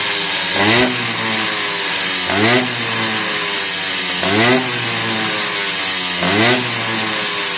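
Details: Tomos 65 cc two-stroke moped on its stand, warming up with a newly fitted aftermarket air filter replacing the lost original, before delivery; four quick throttle blips about two seconds apart, buzzy climb, drops back to steady idle without hesitation: normal revving.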